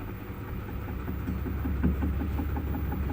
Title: faulty drum making noise